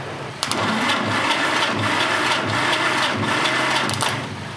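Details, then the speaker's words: 1947 Willys CJ-2A engine, unrun for 30 years, cylinders soaked in Mystery Oil, cranked for a compression test from a 12V battery through 8-gauge jumper cables: labored, slow, uneven cranking without firing; slow cranking from weak battery supply. "but the engine's not cranking very fast because I'm trying to do it off a 12vt battery off of 8 gauge jumper cables"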